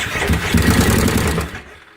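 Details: 2005 carbureted Kawasaki Brute Force with a stator meant for a fuel-injected 2012: cranks in a quick rough burst, backfires and stumbles without catching, then dies; fresh fuel ruled out, incorrect stator found.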